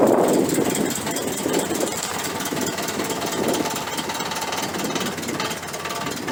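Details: 1968 Chrysler 300 with a 440 V8 and a replacement used carburetor, after a spark plug wire was reconnected. A lumpy idle settles into a fairly even beat of about four pulses a second with no obvious misfire skip. It runs better now on all 8 cylinders: normal idle.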